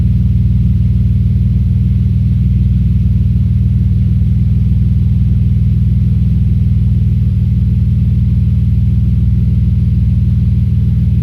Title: Audi S4 B5 Misfire